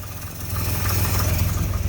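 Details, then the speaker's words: 1964 Dodge D100 Utiline, first run in 35 years, new plugs and wires, gravity-fed temporary fuel line to carburetor: deep, uneven, lumpy idle that wavers; dies if given gas, smoking; owner suspects timing and dirty carburetor. "and chris wanted to see the smoke i have a lot of smoke under there now i just gotta get it timed right and [Music] get the carburetor cleaned out because i can't give it any gas or it dies but starts"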